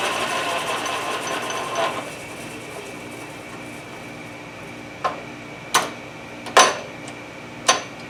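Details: Logan 820 lathe headstock after fitting a replacement spindle, bull gear and back gear shaft from a newer Logan, the old bull gear having had a broken tooth: steady, even gear whir, no knock or tooth clatter, a few sharp handling clicks; normal lathe headstock running.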